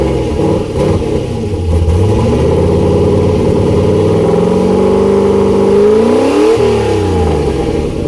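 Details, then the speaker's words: Turbo LS V8 swapped Miata, first start on new tune with coupler fitted, not yet warm, nothing hooked up; uneven lumpy revving, still running very rough, fuel pressure needs lowering, changes still needed. "O2 sensor seems to be working it's still running very rough but there's a few changes that need to be made"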